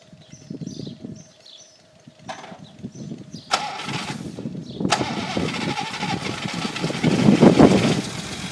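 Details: Unimog 404 first start after a rebuild with new fuse boards and rewiring: several seconds of slow, uneven cranking, then it catches and settles into a steady run; a normal start.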